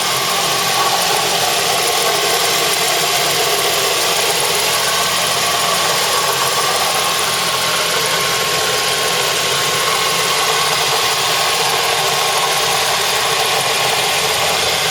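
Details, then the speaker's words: Mazda 3 petrol idling with a constant fizzy rattle, apparently from the accessory drive belt; belt suspected, not confirmed. "car is off can hear the noise already I would consider it a rattling sound doors are closed glove box nothing leaking or under the glove box [Music] sounds like it may be coming from that belt"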